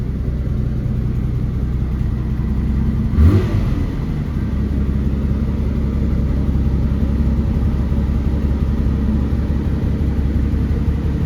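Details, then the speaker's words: 1972 BMW 3.0 CS just after a cold start in neutral: deep, even idle held slightly high while warming up, temp gauge cold, one brief rev blip, no knocks or misses; normal cold fast idle. "It's going to idle a little high while it's warming up, I think, but see the temp gauge is cold."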